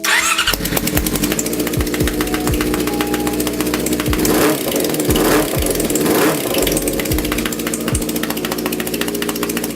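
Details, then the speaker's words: 2004 Yamaha YZF-R6 four-cylinder running on 3 cylinders due to stripped spark plug threads: uneven idle with sharp pop about once a second, coil pack jumping from escaping compression; still rides at highway speeds but runs wrong; misfire before cylinder head replacement. "It can do highway speeds on 3 cylinders, but it sounds funny and it's not running right, so check it out."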